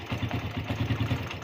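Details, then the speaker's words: Suzuki Satria FU carburetor motorcycle, hard to start in the morning and dying on initial throttle: normal at idle and low rpm, but opening throttle gives quick uneven firing, coughing and a sharp bark; cause was the carburetor diaphragm spring installed upside down. "terus seperti itu, tersendat-sendat, terbatuk-batuk, tersendat- batuk, seperti itu."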